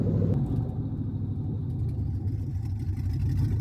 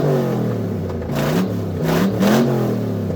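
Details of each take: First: 1975 Suburban with a 6.0 LQ9 V8 swapped from a 2004 Escalade, first start with no exhaust and no cooling system: loud open-header rumble, slightly uneven and lumpy as revs creep up. Runs rough; owner expected it to run weird. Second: 1975 Chevy Suburban LS-swapped with a 6.0 LQ9 from a 2004 Escalade, first fire, no cooling system and no exhaust fitted: loud, raw V8 blipping and settling with an even pulse. Fires and runs cleanly.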